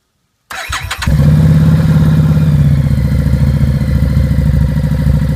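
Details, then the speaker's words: Harley-Davidson Street 750 V-twin after an oil change (3 quarts), exhaust baffle knocked out: starts and settles into loud, deep, lumpy idle with open unmuffled bark; loud exhaust from removed baffle. "so you're going to hear what a 750 sounds like with the baffle knocked out. And I think it sounds pretty darn good"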